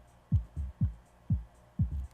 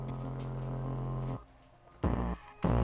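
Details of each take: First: Dayton Audio DC130AS-8 replacement speaker (in a Polk RTI-28) at extremely low volume: soft, clean, even bass thumps with no rubbing at all test points; the voice coil binds only when the cone is pushed hard; normal operation. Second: Dayton Audio DC130AS-8 replacement woofer in a Polk Audio RTI-28, mic close up: music with buzzy rasp on bass hits; voice coil rubbing/binding, misassembled from factory, sound clears when pressing the cone.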